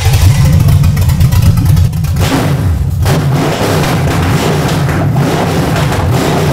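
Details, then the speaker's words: 1982 Trans Am V8, first start after fitting a freshly gone-through carburetor, at night: deep rumble picks up cleanly, rising and falling with the throttle without stumbling; revs crisply, healthy. "I think sounds crisp Firebird was breathing fire tonight"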